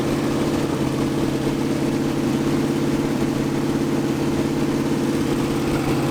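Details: 1980 Dodge short-bed truck big-block V8, first run in 14 years, during cam break-in after converting from points back to factory electronic ignition; even fast-idle drone, steady beat about three per second, no misses or tapping, normal running.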